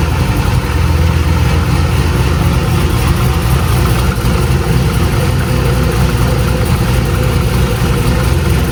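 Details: 2000 cammed C5 Corvette after a new crankshaft position sensor was fitted: deep, lumpy idle with a steady loping rhythm from the big cam; it holds even without stumbling or missing, running healthy.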